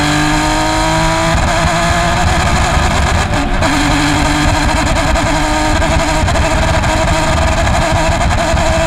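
Engine screaming at high revs under load, with uneven stumbles and brief dropouts in the note; a misfire, cause unknown.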